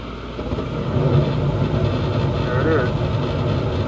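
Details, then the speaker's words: Carrier furnace on a no-heat call where the gas valve had been switched off; after turning it on, a low rumble builds over about a second, then holds steady and even as the furnace lights and runs normally. "so let's turn it on and now it's work"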